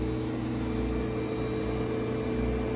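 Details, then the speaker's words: Whirlpool Duet WFW9450WW00 after cleaning and securing the loose door lock latch for F15 error, wash with 4 minutes left: low, steady, quiet hum with no knocks or grinding, door staying locked, no codes. "4 minutes left and I haven't had any problems. No codes. It's been cycles are going on. Very nice and quiet."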